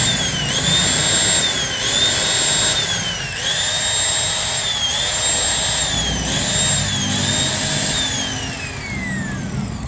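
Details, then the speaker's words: Angle grinder combining a Modern M-2300B stator with Maktec MT90 parts, new CB-459 carbon brushes, head rotating the wrong way: whine surges and sags with rough crackle and large sparks both sides; heavy brush arcing. "nah ini pengapiannya besar ya dan suaranya juga di sebelah kiri sebelah kanan ini pengapiannya besar semua guys"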